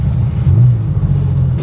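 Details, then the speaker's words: Porsche 911 Targa with a freshly rebuilt 964 3.6L flat-six, ITBs and lightened flywheel, on its first drive under light load to bed the rings, idling around 1100–1200 rpm. A deep rumble with a rough, flatulent edge points to an exhaust leak on one side. "Sounds very fluffy. Got an exhaust leak."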